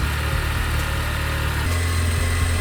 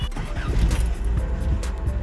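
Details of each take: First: 1976 Toyota Celica RA24 petrol engine at warm idle: a steady, low, even rhythm that runs smoothly once warmed up, after a brief misfire on cold start that cleared. Normal warm idle. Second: 1976 Toyota Celica RA24, just started cold after engine bay work: rough, uneven, stumbling idle misfiring under background music, smoothing out as it needs to warm up.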